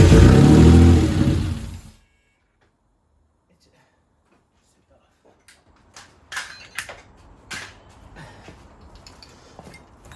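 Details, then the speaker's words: Rebuilt Mitsubishi GTO engine started for the first time in three years on jump leads: fires and runs strong for about two seconds, then cuts dead. Owner suspects the fuel pump changeover relay primes the pump but doesn't keep it running. "so the engine's starting sounds pretty strong but it it's not staying on now the only thing I can think of is that relay is a changeover relay"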